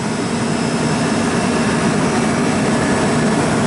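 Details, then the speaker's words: Pizza shop refrigeration condenser fan, R-404A, with a new Ranco head pressure fan control replacing a cheap bypassed one, set to cut in near 250 psi, around 50°F outside: steady even air rush, no rattle or scrape; normal fan running. "Compressor started up, and let's see if this kicks in at 250 or thereabouts. Okay, 249, 247, and it should run."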